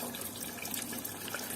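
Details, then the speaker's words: Gas combi-boiler heating radiator being bled: water runs from the bleed valve in a steady even splash with no spitting or hissing air, meaning no air left. "sürekli bu şekilde akıyorsa normal içinde hava kalmamış demektir"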